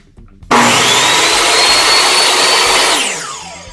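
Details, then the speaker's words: DeWalt DWE7485 job site table saw switched on: clean, steady high-pitched motor and blade whir, quieter than expected, then smooth wind-down; healthy saw showing no signs of slowing. "it's not even as loud as I thought it was going to be let me just turn it on real quick"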